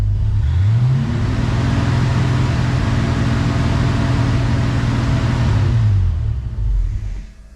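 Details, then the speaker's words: 1966 Ford Mustang with Holley Sniper EFI during idle tuning, idle air control reading 35%; engine revs and holds, then sags and dies a second after throttle release as the idle air control valve closes; stalls on lift-off. "see you rev it and it dies the ID of a control valve is closing watch what happens when I rev it and then let off the throttle annoying"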